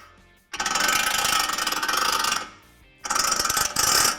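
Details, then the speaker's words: Ford F150 4WD integrated wheel end vacuum hub actuator, hub and CV shaft spun by hand: harsh rapid ratcheting clatter in two long bursts; partial vacuum leaves the IWE half-engaged, from a leaking actuator that loses vacuum, worse when cold. "what you're actually hearing when you end up with that noise is when you don't have a full supply of vacuum on it"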